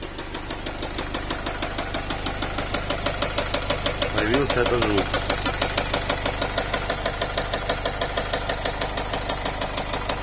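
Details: Nissan X-Trail 2.0 dCi diesel, idling warm at about 80 °C with injector corrections rising sharply and unburnt diesel smell: hard rhythmic tapping about three per second, like a piston knocking, which disappears after revving.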